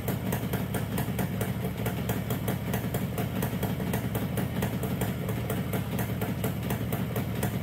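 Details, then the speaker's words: 1969 Yamaha DS6 two-stroke, carbs rebuilt with new float bowl gaskets, fresh premix, warming up: uneven, stumbling idle with lumpy pulses, won't idle, very boggy on throttle. Carburetor problem suspected; carbs to be cleaned again, compression not yet checked. "so there's definitely something going on with our carburetors we don't want to idle we're very very boggy when we get on the throttle"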